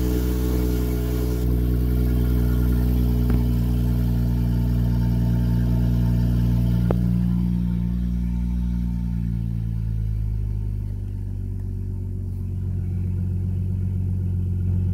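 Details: BMW F30 340i exhaust after fixing the rattling exhaust valve with a new clip: deep, even exhaust rumble as revs settle, no rattle or buzz on top; normal exhaust note.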